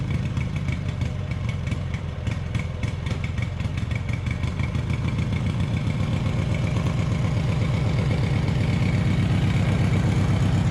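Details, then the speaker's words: Taurus 650 with high idle: steady fast idle that creeps up rather than settling. "it's too silent like way too high and it takes off on me"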